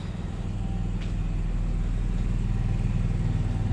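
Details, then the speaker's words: Onan 5500W generator in a 2015 Forest River Georgetown motorhome (10K miles), new carburetor fitted; after about two hours running with air conditioners on, steady even drone with no hunting or surging, still running perfectly. "sounds like it's still running perfectly"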